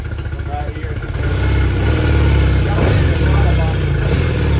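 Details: Yamaha T50TLRD 50HP outboard after head decking and new head gasket: revving with uneven stumbling beat that never smooths; one cylinder dropping.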